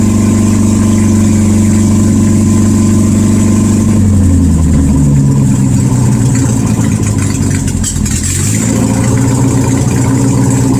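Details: 1972 VW Super Beetle air-cooled flat-four, no exhaust fitted, 51°F, after starter and ignition work: loud unmuffled engine sags and hunts as throttle comes off, can't hold idle.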